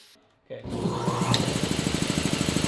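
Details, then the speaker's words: Rotary shop's new air compressor after closing a valve left open: starts and runs with a quick, steady chugging beat, no hiss of escaping air, good oil pressure; normal pumping. "Wait, that's so much better. It was just dumping air out."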